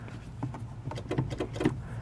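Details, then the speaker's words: 1988–98 Chevy/GMC truck after installing a new AC Delco D1565E brake light switch: sharp, loud relay clicks with each brake pedal press, showing the brake light circuit switching properly. "Check your switch. Hear that relay clicking? That's loud. That's good."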